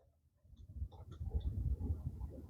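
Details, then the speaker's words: 2016 Nissan Murano with a newly installed blower motor, test run with low speed quiet, then the high-speed check: a smooth airflow rumble builds with no squeal, ticking or grinding, normal blower operation. "So we'll actually do a quick test run, just to make sure that this one is nice and quiet."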